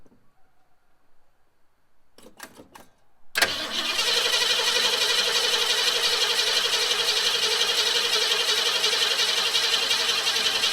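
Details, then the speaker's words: 1969 Mustang that sat 15 years, cranked with fresh battery after cooling system work (new radiator, electric fan, relay): a few cranking bursts, fires and settles to steady even fast idle while warming, condensation off headers, good oil pressure, no knocks or misses. "A bit of condensation coming off the headers. Take the out back. You can hear how it sounds while it's warming up."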